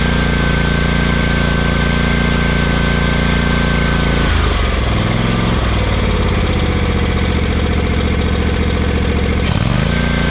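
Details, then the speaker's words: Exmark Vantage S stand-on mower with Kawasaki FS541V V-twin, after repairing popping, low power and misfire under load: smooth even note that dips briefly under load and recovers cleanly without popping; normal running. "Runs just beautifully."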